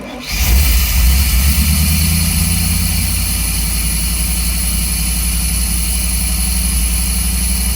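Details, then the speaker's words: Chevy 350 5.7 van engine after sitting 3 years, new fuel pump, fresh spark plugs replacing black fouled ones and cleaned ground wires: catches within half a second and idles strong and even; owner thinks idle may be high, timing adjustment possible. "like it's idling too hot. So I don't know. I may have to adjust the time."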